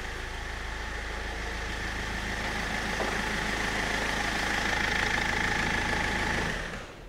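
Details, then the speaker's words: 2007 Land Rover Freelander 1 TD4 diesel after high-pressure fuel pump replacement, no engine light: steady even idle clatter with no misses, settling cleanly before switch-off; normal idle. "it starts it sounds good just give it a bit of a rev make sure it does rev [Music] that all sounds good"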